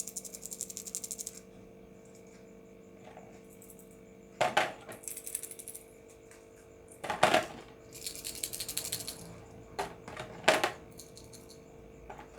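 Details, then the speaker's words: Refrigerator compressor PTC starter relay shaken by hand: loose clattering rattle of broken pieces inside, meaning the ceramic element is cracked. "Ini PTC jelas kalau yang bunyi ini pecah di dalamnya."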